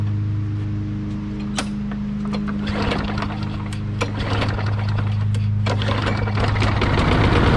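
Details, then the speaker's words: Push mower that sat for years, after carburetor and tank cleaning, fresh fuel: steady somewhat low hum with some clicks; rpm too low, throttle set too low. "so i got it tied up now you can hear me and you can hear the rpms are a little low so i'll show you what to do with that"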